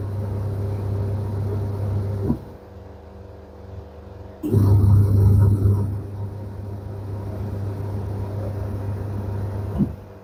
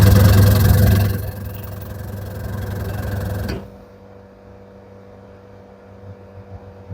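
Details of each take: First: Candy semi-automatic twin-tub washer, after the wash motor fix with the belt refitted: steady low hum, drum turning, stopping and reversing cleanly, no slipping or scraping; spin motor also fine; normal wash cycle. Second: Candy semi-automatic twin-tub washer: loud deep steady hum from the wash motor with little spinning, then it cuts out, motor overheating; capacitor not at fault, bush getting stuck; washer motor stalling.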